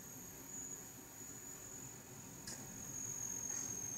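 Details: Thin, steady insect-like high-pitched whine holding one pitch over quiet hiss: GTX 970 graphics card coil whine, common across ASUS, EVGA, ZOTAC, MSI, Gigabyte and Gainward cards.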